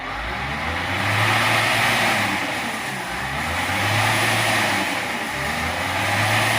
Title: CAT 950H ERROR 36-274-4. 30-428-3 ENGINE IS UNSTABLE SAME AS MISFIRING,LET WATCH THIS VIDEO